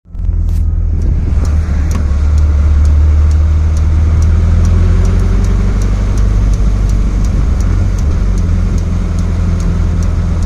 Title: Clicking noise